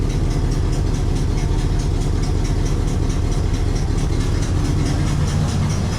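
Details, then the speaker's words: 1968 Cadillac Coupe de Ville V8, sitting over five years, started on one crank and running without the charger: a deep, steady idle rumble with an even beat, no knocks or misses. "oh look how nice that started right one crank simple"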